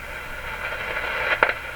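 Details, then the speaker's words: Philco 53 shortwave tube radio under repair: steady hiss that swells, then a short crackling burst, with the rush going up and down; owner suspects a failing component but it is not confirmed. "there sounds like a component failing is what it sounds like to me the the rush is going up and down but that that's no guarantee at all"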